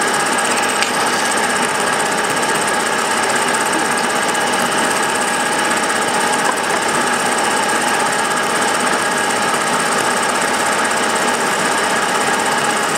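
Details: Milling a vee-block from dense old forklift-tine steel with carbide cutters, an angle cutter and coolant, taking 1 mm cuts: a harsh, steady, even rattling chatter through the whole cut. The cutter hammers from a cheap out-of-round Chinese arbor.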